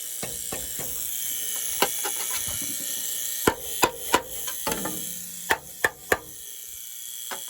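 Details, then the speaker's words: Weil McLain gas steam boiler after cleaning and new pressure gauge, pigtail and tee installed: thin steady buzz above scattered irregular clicks and taps, new since the work; source unidentified. "I got that annoying sound it's driving me crazy because it wasn't making that sound before and it's not interfering with or is it"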